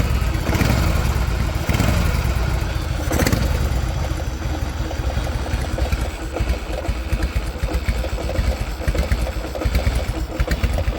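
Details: 1985 Harley-Davidson FXSB V-twin, hot, loping at low rpm with an uneven knock about four a second, worse only when hot and getting worse; stock chain primary; oil changed in engine, primary and transmission with nothing found; source unknown.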